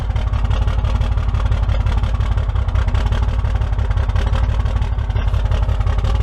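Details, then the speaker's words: 6.7 Cummins diesel, 197 on the odometer, with second-gen turbo swap, new studded head and aftermarket parts; deep, uneven idle with a rhythmic, nasty lope; cause unconfirmed, suspected injector problem, low voltage showing on the dash. "we thought it was an injector problem it's got a pretty nasty elope to it"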